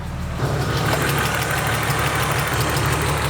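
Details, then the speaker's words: BMW E36 M3, unrun for 4 years, now at operating temperature after a short drive. Fast light ticking about three per second over a steady idle; owner suspects lifters not yet pumped up, unconfirmed. "Might just be lifters. It's going to take a while for them to get pumped up."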